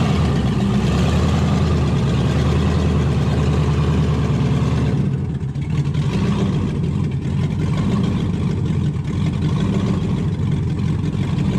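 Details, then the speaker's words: 1971 Impala donk with LS swap that died on a light rev and since runs on three to five cylinders; deep V8 stumbling and lumpy, uneven chuffing with dropouts, misfire from a dirty engine computer connector. "I went to just rev it up a little bit and it died and since then it only ran on like three four maybe five cylinders at most"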